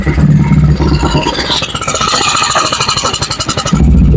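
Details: Honda Vario 110 carburetted scooter after engine rebuild, mic at loud exhaust: loud open exhaust with steady idle beat and clean rise under throttle; engine smooth, PE carburettor just needs resetting.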